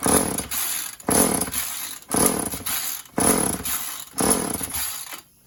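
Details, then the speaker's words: Stihl or Husqvarna chainsaw, old, run without bar or cover, choke on, broken kill switch: five pull-start rasps about a second apart, each dying without catching; hard starting. "Maybe it doesn't want to start up. Maybe it doesn't want to start up. Oh, we got some."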